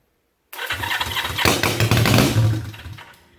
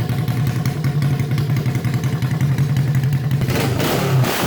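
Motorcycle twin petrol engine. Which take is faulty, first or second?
first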